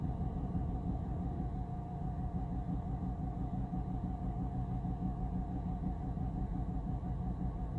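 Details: 2011 BMW 328i on cold start: an uneven, lumpy low rumble at rough idle that persists when given a little gas; solved by replacing the Valvetronic shaft sensor.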